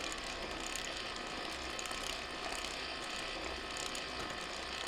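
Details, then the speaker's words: 1/6 scale Armortek Hetzer (Jagdpanzer 38) model tank, 24 V drive motors, first road test on patio: fast, continuous light clicking and rattling as road wheels work on their leaf springs; normal. "just that again you can just see these wheels that's what's making the noise these wheels operating on the spring on the leaf springs"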